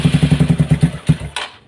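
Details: Motorcycle that previously had a seized piston, handled a third time because oil does not rise to the cylinder head: quick, hard, even knocking of about nine per second until the engine stops; the valvetrain is dry and lacks lubrication.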